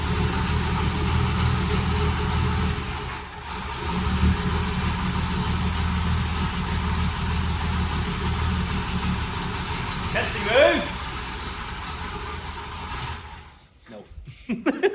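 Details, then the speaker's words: Mercedes Fintail W111 project car idling steadily and evenly with a low smooth beat, no knocks or misses, running lovely; however it overheated after about four minutes, head gasket suspected, compression test done on all cylinders. "uh it was running lovely it was running brilliant uh but it overheated about four minutes"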